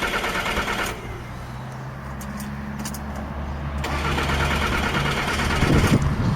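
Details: 2007 Jaguar X-Type SE 2.2 diesel with intermittent no-start: steady cranking whirr at roughly three beats a second that never catches; weak crank sensor signal, sensor tested fine, ECU suspected of pulling the signal down.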